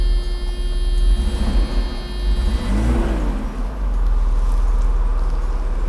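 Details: 1989 Mercedes W124 300CE, M103 engine, after fuel distributor overhaul, all injectors and fuel pump replaced; warm start with AC on, idle about 500 rpm: short crank, then catches cleanly into a steady even low rumble; healthy warm start.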